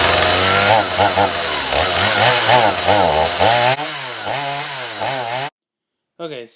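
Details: Stihl MS250 chainsaw: two-stroke revs up but sags and recovers about twice a second instead of holding clean; bogs under throttle. Backing out the mixture screws helped only slightly; vent line checked next.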